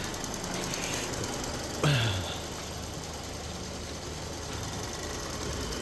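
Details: 2017 Ford Fusion 1.5L EcoBoost after cracked-flexplate replacement, transmission refitted: even low idle with one brief clunk near the start, then a steady rumble with no knocking; the engine sounds healthy, normal idle.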